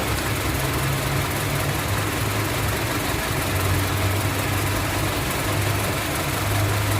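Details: Honda CR-V with code P0352, cylinder 2 ignition coil circuit malfunction, causing hesitation, vibration and jerking: steady idle with uneven lumpy low beat and shake underneath, consistent with cylinder 2 misfiring.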